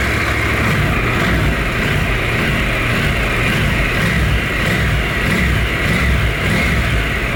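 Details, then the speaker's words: 2015 Honda NC700X twin after oil change with new OEM Honda filter replacing a leaking K&N, about 3.5–3.6 quarts added, run briefly before checking oil level: steady low thrum at idle, even pulses, no knocks or rattles. "We're going to start it up, let it run for a sec, then we'll check the oil level and top it off from there."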